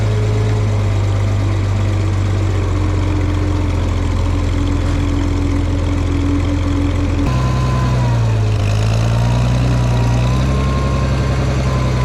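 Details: Farmall 460 tractor, rebuilt engine, new electronic ignition, driving: steady, even low drone under load with a smooth pitch change partway as it settles; runs properly, owner may tweak timing advance.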